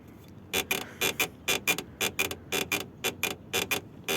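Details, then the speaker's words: Second-generation Lada Granta, nearly new: sharp paired creaks about twice a second from the rear right over bumps, caused by the handbrake cable rubbing in its mount rather than the suspension; the fix is to unclip the cable. "И вот так он скрипит Вот и как бы это есть причина"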